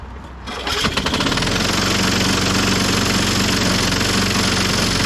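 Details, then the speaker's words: 1998 Ariens 21" self-propelled mower, model 911080, engine VLV60: starts first pull with old coil after brake adjustment, then runs loud with uneven clattering; terrible noise, cause not yet found. "pull now it's making some terrible noise in there but uh yeah it starts easily on the first pull now and that's with the old coil on"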